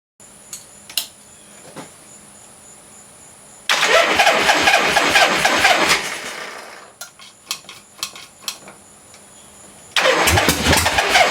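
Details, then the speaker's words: 1976 Harley-Davidson Ironhead Sportster with new points, condenser and timing advance: engine cranks, catches briefly and sputters unevenly before dying, then cranks again. Hard starting and rough running because static ignition timing could not be set correctly with the new parts. "[Music] well I did something wrong so back to the drawing board"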